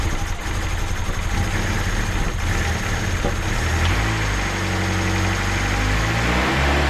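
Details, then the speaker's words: Turbo D16 Honda Civic with a newly installed Speed Factory Savage cam, held at a raised idle around 2000 rpm for about 20 minutes: a steady, even, regular engine note with no knocks or ticks, sounding healthy. "well it's been about 20 minutes is uh that I let idle around 2000"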